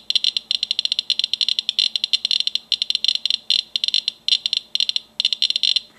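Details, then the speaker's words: Geiger counter held to a Vaseline glass piece, reading nearly 1,000 counts per minute: dense bursts of sharp ticks with no background hum from a strong radioactive source. "my geiger counter reads nearly a th000 counts a minute off of this"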